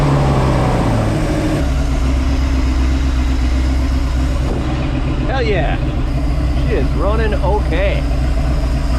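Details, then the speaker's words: Sea Ray boat engine restarted after 17 years of storage, rear cylinders five and six soaked overnight in ATF with very low compression: deep, steady rumble at fast idle, runs on its own with no clear fault in this stretch. "I don't know sounds like it runs despite the horrible compression numbers we were getting in cylinders number five and six"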